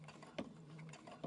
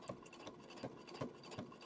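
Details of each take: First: Brother Innovis A150 sewing five layers of denim, stitch length 4, 116 jeans needle: slow dull needle thumps under a light motor whir, under a second apart, as the needle pushes through; the machine handles it fine. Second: Brother Innovis A150 sewing machine through 6 layers of denim at 4 mm stitch length: regular dull thump on every stitch, about three a second, yet feeding smoothly with good stitches; thumping needle penetration under heavy load.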